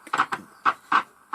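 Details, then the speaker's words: Trio 9R-59D valve communications receiver at first switch-on, volume at full: irregular sharp crackles and pops over a faint hiss, no stations received and the IF stage weak; owner suspects the tuning capacitor is shorted. "there's definitely something wrong there that doesn't say that I've got a funny feeling that friend is probably shorted out by that shooting cackles"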